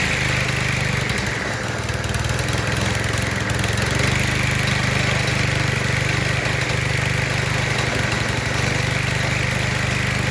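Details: Cub Cadet ST100 walk-behind string trimmer after a fix for no-start, suspected stale gas clogging the carburetor, with the dirty carb cleaned and reinstalled: small engine buzzing at a fast, steady idle, even beat, no stumbles or misses; runs clean and smooth.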